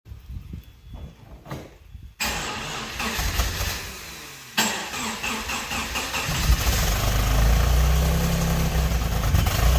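Cranks and catches, then settles into an idle with a stumbling, uneven beat and periodic dips in the exhaust note: a misfire at idle.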